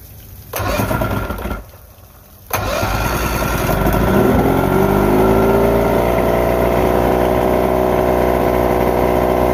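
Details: All-original Mercury 1500 inline-six outboard with distributor ignition and high-dome ported pistons, just after link and sync with max spark timing set about 19.5 degrees; catches after a couple of cranks and runs smooth and even.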